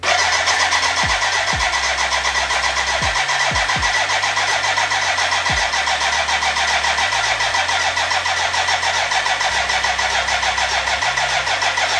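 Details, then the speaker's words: BMW K100 café racer build, first start attempt with fuel in: even starter churn three to four times a second, never catches, music over it; no fuel getting through, crank no start. "uh yeah let me update you what i have found out so far there is a fuel problem now it's connected to the tank but it's damn dry so now yeah i have to figure out why"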